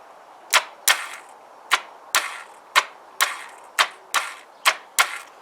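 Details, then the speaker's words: Kawasaki GPZ500S not starting on the button; starter solenoid bridged with a screwdriver, on jump pack: sharp dry clicks about two a second with no cranking; owner suspects hydrolock from fuel leaking past the carb floats into cylinders. "It's still not starting on the button, so I've crossed the starter over with a screwdriver, and it's sort of trying to start the starter but not starting it."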